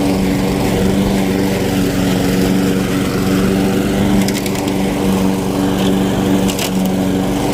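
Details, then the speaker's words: Weed Eater lawn mower found on the curb, first revival run: steady, even buzz at constant speed with no miss, knock or surging; normal running. "sounds good"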